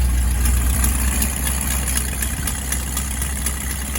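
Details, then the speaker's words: 1980s Ford F-150 recovering from a fire, with its carburetor gasket reused: a rough, lumpy idle beating about four times a second that sags and dies. It runs fine otherwise. The owner suspects a vacuum leak or an electrical problem. "still in there but it'll idle for a little bit and then it'll idle down and it'll die it runs pretty good though"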